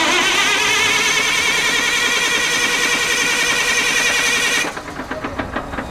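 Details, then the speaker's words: 600 kVA generator with an electronic engine, hard-starting fault: the starter whirs with an even pulsing beat for about five seconds but never catches after the fuel relay is checked. "so as you can see uh still not running so let's go back to the uh back to the back to the engine we will check the relay box"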